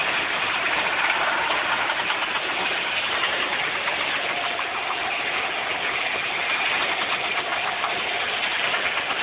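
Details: Newly bought 1994 Nissan 300ZX Twin Turbo idling evenly with a fine, steady ticking; owner suspects an engine knock at idle, source not yet pinned down.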